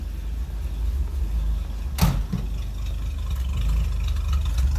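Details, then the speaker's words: Old four-stroke Nash, first start after a cracked fuel pump sediment bowl was replaced with a fence-post cap: deep, slow putter, then a lazy, barely-held very low idle with water and rust blowing out the exhaust. "Oh, that was easy. Just let her load idle. Very low idle."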